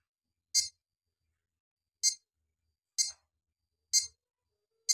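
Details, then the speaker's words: Crown Nexia digital scale that won't hold charge: after about half an hour charging it still beeps and voltage doesn't rise; power supply fine, battery weak. Sharp high chirps about once a second: low-battery warning beep. "masih saja berbunyi dan voltase tidak naik"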